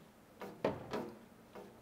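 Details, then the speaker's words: Vespa scooter during a spring check, moved by hand: four dull irregular knocks as the fender touches the frame. "L'aile touche le châssis. Le cauchemar de tout vendeur de Vespa !"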